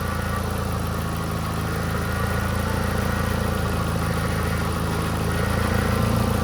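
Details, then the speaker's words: VW Gol G4 with hydraulic power steering and a holed exhaust, at idle, wheel released; constant low droning bearing-like groan that stops while the wheel is moved and returns when let go; power steering pump groan. "Perceba aí, pessoal, quando eu mexo o barulho para, ó. Mexi, ó. Parou, ó. Soltei o volante, ó. Continua."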